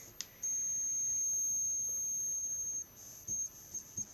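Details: Homemade push-pull driver with six-layer coil and nickel-zinc ferrite pot core; thin, steady piercing squeal for about two seconds then cuts out, after fitting a new fast-switching transistor: high-pitched squeal from transistor switching.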